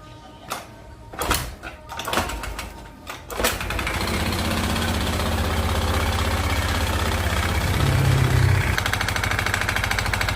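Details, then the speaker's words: Honda Beat FI scooter with a very harsh engine, smoking and burning oil, revved lightly after cranking. Loud, harsh, uneven clatter rising with throttle from a broken piston; top-end teardown needed. "nah ini suara mesinnya dan di sini dia mengeluarkan asap ya dia sudah mulai makan oli pada motor ini dan di suara mesinnya itu sangat kasar sekali ya"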